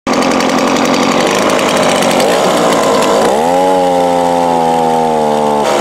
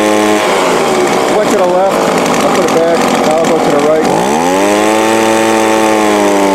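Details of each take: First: Two-stroke small engine with Walbro/Zama-type carb, out of tune: idles and runs fine but at full throttle the high buzzy pitch sags and bogs right down, as the customer reported; lean carb. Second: Two-stroke small engine, Walbro/Zama-type carb after high-speed needle adjustment to cure a full-throttle bog: sharp buzz holds steady, dips briefly and climbs back cleanly without bogging; running normally.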